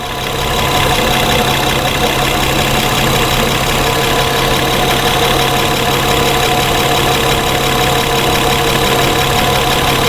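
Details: 2011 Honda Pilot idle, stalls intermittently when hot: steady idle with a slight rise and fall in engine note, surging but not yet stalled; injector on-time jumps from 2 to 9 ms, traced to a magnetized crank trigger wheel.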